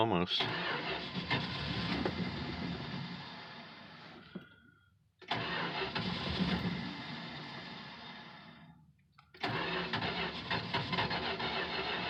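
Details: 1968 Plymouth Fury III, original 318 two-barrel V8, almost 76,000 miles, cold start: three long cranking runs of several seconds, engine stumbling without catching cleanly; hard cold start, owner blames poor two-barrel carb, not confirmed.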